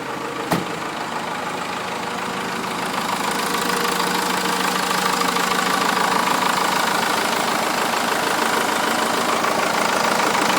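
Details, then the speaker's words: Cummins 4BT diesel swapped into a straight-axle Toyota: steady diesel clatter at an even idle with clean, rhythmic firing and no misses or knocks; healthy idle. "other than that truck runs good good power whatnot so I'll fire it up for you guys here so you guys can hear it and see it run"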